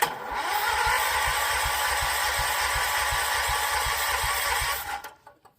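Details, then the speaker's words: John Deere 314 garden tractor with freshly rebuilt Kohler K321 single-cylinder engine, first crank: steady, even cranking about three and a half beats per second with no firing; fuel not yet reaching the carburettor, later fired with carb cleaner. "It's probably going to have to crank a second to work that fuel up to it."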